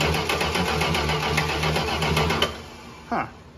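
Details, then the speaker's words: 1968 Dodge Charger garage find, parked since 1994 after a rear-end crash, cranks steadily at about four beats a second with no firing, after problems with the brown cranking ignition power wire; a spark check found no spark: cranks, won't start. "we thought it had spark but we were mistaken"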